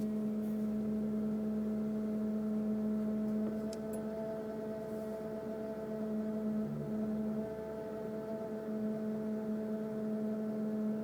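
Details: 2002 Mercury Grand Marquis, 105k+ miles, idling in park: random steady low tonal hum from the engine compartment, wavering slightly; intermittent, unrelated to bumps, speed or gear, gauges normal.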